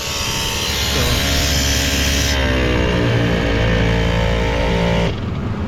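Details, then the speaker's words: Gen3 Mitsubishi Montero with an engine-bay-mounted dual ARB air compressor, engine idling and valve open; steady electric motor hum with a pumping pulse over the idle while it builds pressure; normal compressor running. "so you hear it running over there it's running it's going to keep on running because the um little valve is open"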